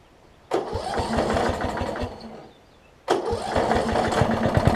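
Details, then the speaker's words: Yard Machines 38-inch riding mower, 13.5 hp Briggs & Stratton single-cylinder, after adding oil: chugs, fades, then catches and settles into a steady beat while driving; transmission works, engine running fine; blade return spring missing. "the good news is transmission works this sounds alright"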